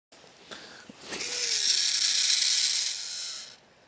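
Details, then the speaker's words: Daiwa spider baitcasting reel: shrill, rattling whir while the spool spins on the cast, fading as it slows; play between the pinion and spool shaft, short pinion lacks bearing support on the adjustment side, causing noise while casting. "接下来我按下案板，我用这个拇指固定住线杯轴，然后晃动小尺，能够感觉出来两者之间存在间隙。"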